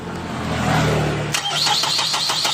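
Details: Mazda 3 that suddenly died and was rescued: starter spins the engine in an even rhythm with no firing; crank no start, fuel pump and ECU losing power from a blown fuse.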